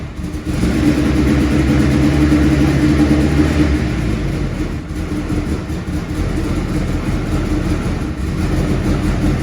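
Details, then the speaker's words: Compound-turbo Mitsubishi 4G63 in 1991 Fox body Mustang, first start, cold: slow, slightly lumpy idle sagging without picking up; cold idle set too low, noisy starter and small exhaust leak also noted. "Idle's a little bit low when it's cold. I really need to do something about that."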